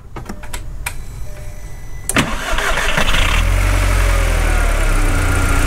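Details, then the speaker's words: VW MK4 after replacing the ignition coil harness: a few clicks, then the petrol engine cranks, catches and settles into a steady, even idle with no misfire, in neutral; a vacuum leak was noted. "go you guys can hear that it's not misfiring it's not having a weird idol"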